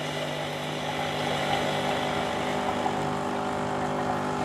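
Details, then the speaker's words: Gemilai 3006Z espresso machine, manual water dispense right after steaming with filter removed: steady hiss over constant pump hum as hot water flashes through the thermoblock, then the hissing fades; normal flush. "Right. So you can hear the hissing sound at the start and then it start to stop hissing."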